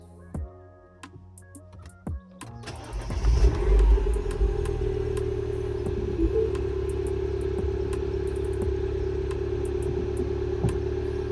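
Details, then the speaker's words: Mini Cooper S after VANOS solenoid work for lumpy, juddering cold morning starts (fine once warm); this start is not fully cold. A few clicks, engine catches within a second and settles into smooth even idle: normal start, cold-start fix unconfirmed. "It started. Sounds normal. But, it's generally when I start it first time in the morning."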